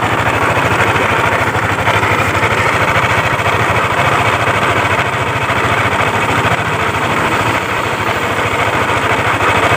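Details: Yamaha Aerox scooter at idle, temporarily reassembled while awaiting parts; complaint of loud noise at the CVT case/primary pulley. Loud, fast, uneven clattering knock about three per second. It resembles a slack cam chain, cam bearing or rocker arm, but those and the tensioner checked fine. The knock comes from connecting rod and crankshaft bearing wear.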